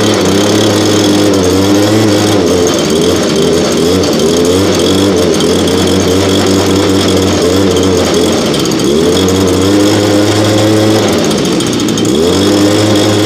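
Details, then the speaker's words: Nearly new blower, bought last year and hardly used, cold start around 30°F after 5 months stored on ethanol-free fuel without stabilizer, primed three times: small two-stroke buzzing at steady idle with brief dips and recoveries, smoother than the old BG86; normal idle. "so so idle's way better than the old bg86 that we have again it is you know fairly new so i'll give it to the condition that it's in of starting and idling a lot smoother and throttle response is definitely incredible"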